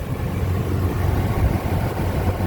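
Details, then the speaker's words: Nissan Titan/Armada 5.6 L VK56DE V8, heard near the oil filter after replacing a failed aftermarket AC Delco filter with a genuine Nissan filter and full synthetic oil: steady low idle rumble, whining noise gone. "no oil filter sound at all so that seemed to fix the whining noise I was getting"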